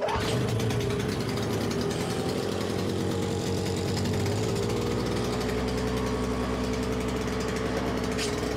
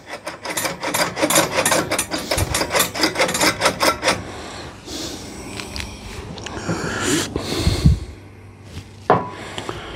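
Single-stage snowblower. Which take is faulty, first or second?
second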